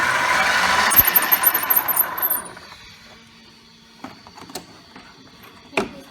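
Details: Brand-new Traxxas X-Maxx on its first run: high, thin squeal over the motor whine for a couple of seconds, seemingly from the front and rear diffs; drivetrain squeal, cause suspected, not confirmed.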